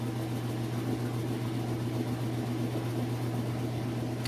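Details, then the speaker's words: Whirlpool Super Capacity top-load washer with a heavy jeans load, final spin shown with the lid open: steady, smooth low hum from a fast, even drum spin with no knocking, scraping or wobble; normal spin cycle. "so just so you know there should be no reason to open it up but this way you know spinning nice and fast"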